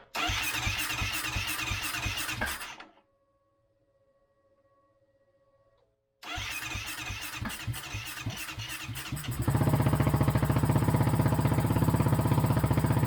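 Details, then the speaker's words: 2008 Kawasaki KFX450R sport quad, sat unused and would not start: crisp, even single-cylinder thumping, shut off, restarted and revved, pulling cleanly; very loud through an exhaust whose baffle was possibly tampered with. Normal running. "actually sounds pretty good. It's very loud."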